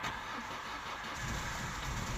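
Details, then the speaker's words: Engine suspected of a blown head gasket, with mayonnaise present and pressure in the cooling system. Long, laboured cranking with a rough, uneven rumble before it catches: always hard to start, and it misses badly once running. "so we're going to start this and we're going to see what happens all right let's just start this there we go that's kind always hard to start now okay"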